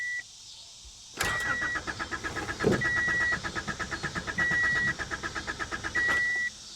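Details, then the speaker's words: 1985 Honda Accord 1800, 62K miles, non-running, after replacing blown fusible links: starter turns briskly in even pulses under a repeating chime, never catches; crank no start, fuel gauge reads empty. "let's see if she does anything now i'll be damn no way no way she's got no gas completely out according to the gauge"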